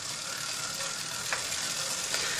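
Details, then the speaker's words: Bicycle on a trainer, new chain after 100 miles, same gear as old-chain test: steady soft hiss with light clicks, some mechanical noise but far quieter than the old dry chain. "So the new chain obviously has some mechanical noise. It's nowhere near as bad as the old was."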